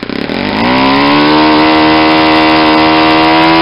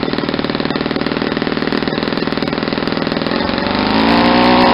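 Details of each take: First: Saito 50 four-stroke RC engine, first run after rebuild with new ring, APC 11x7 prop, Omega 10% fuel, warm; needle leaned out from rich: note climbs to a high steady buzz near peak rpm, less exhaust smoke; lean mixture near peak, possibly too lean for run-in. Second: Saito 50 four-stroke model engine, first run after new ring and bearings, APC 11x7 prop, 10% Omega fuel, needle set very rich for run-in: lumpy blubbery popping about four beats a second, then smoother higher note; over-rich mixture.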